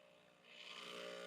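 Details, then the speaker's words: Breville Barista Express espresso machine, shot started: soft low pump buzz during gentle pre-infusion of about five to six seconds (nominally three), then swells to a steady, stronger full-power pump hum; normal operation. "or six man and then kicks in you hear that so it give you a very I think it's I mean that's definitely more than three seconds so it give you a very gentle preinfusion for like seven you know six five or six seconds and then give you full power"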